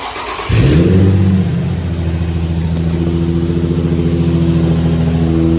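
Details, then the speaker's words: Nissan 350Z being rebuilt after crash, awaiting wheel hub assembly replacement for a nasty noise: catches quickly, flares briefly, then settles into steady, even low idle with no knocks or misses; normal start and idle. "mhm the car sounds good"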